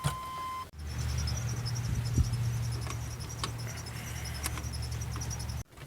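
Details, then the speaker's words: 1997 Chevy K2500 service truck, Vortec 350 (5.7) non-original engine, about 220,000 miles, sat a couple of months; chime then about five seconds of slow droning cranking, no start, likely weak battery needing jump start. "now this thing's actually been sitting here for a couple of months so what do you think the chances are that we gotta jump start this thing pretty dang good i'd say"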